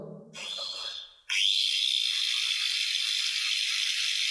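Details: Hitachi G10-SS2 angle grinder after repair replacing gear and spindle (gear teeth had been slipping); motor spins up to a steady high whine, even and smooth with no grinding or rattle.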